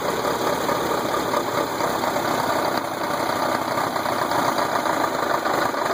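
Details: Volkswagen engine at steady idle with a dull repeating knock, no revving; owner suspects rod knock, unconfirmed.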